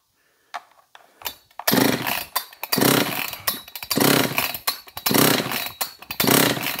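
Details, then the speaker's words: John Deere CS56 chainsaw (possibly an Oleomac 956/FCO 156), choke engaged, safeties still fitted, compression check: steady recoil pulls about once a second turning the engine freely through even strokes; gauge reads 135 psi, healthy compression, and it had already fired. "$135 on the compression. So it'll run with 135 pounds of compression."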